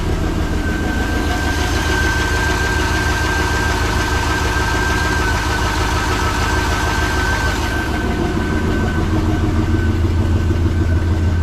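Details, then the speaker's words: 1986 Chevrolet C20 Suburban with LS-swapped 6.0 LQ4 V8, test-fired after cam gear work (P0343): heavy lumpy idle rumble with rapid ticking puff from exhaust leaks, otherwise firing up well. "that sounds better firing up pretty good still got exhaust leaks so not good"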